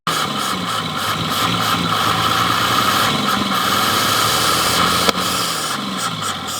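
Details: 1932 DeSoto barn find fitted with 70-plus-year-old Dodge 230 flathead six, just got running: ticks over at a slightly lumpy idle with one sharp click midway.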